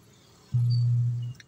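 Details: JMS amplified speaker: a low, steady hum for under a second with no program sound; amp hums but passes no audio; owner suspects a capacitor, while a 56-ohm resistor looks burnt, cause unconfirmed.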